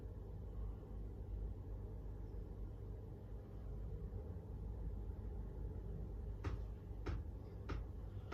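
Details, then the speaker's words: Chinese diesel heater (earlier E-08 pump error) running after fuel pump replacement: low steady heater rumble with sharp pump clicks about every 0.6 seconds; pump ticking normally, heater running and warming up. "It's a bit noisy now, the pump's running, heater's running, it's nice and toasty in here."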